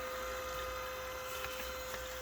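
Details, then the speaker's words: Perkin Elmer 198072 furnace cooling system chiller circulating glycol water through a hose looped back to itself: a steady, even hum with a faint watery wash like an aquarium and no rattles or surging. The pump circulation is normal. "you can hear it in the tank kind of sounds like an aquarium fish tank"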